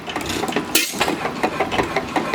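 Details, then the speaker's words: Small single-cylinder engine at the slowest speed it has held: slow even put-put, no misses or knocks; normal slow idle. "this is the slowest I've actually gotten it to run is right now today at least"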